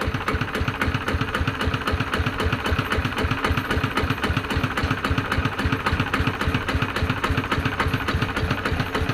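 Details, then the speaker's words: ET110 single-cylinder diesel after a rebuild with a reground crankshaft, fixing white smoke when revved, at idle: even thump at about three and a half beats per second, no misses; smoke gone, healthy idle. "อนี้รอบปกติครับเคครับอ่าปกติดีฮะ"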